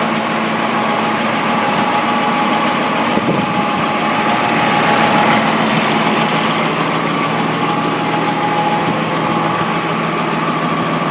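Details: M35A2 deuce military truck diesel at idle: loose, uneven knock running through the steady clatter; weird knocking noise, cause not stated.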